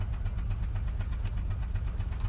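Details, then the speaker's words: Citroën Xsara Picasso petrol (NFV) with low power, engine light and cylinder 4 misfire code: lumpy, uneven idle with irregular chuffing; spark plug blowing out of stripped threads, leaking compression. "It had a misfire because the spark plug is being blown out by compression gases."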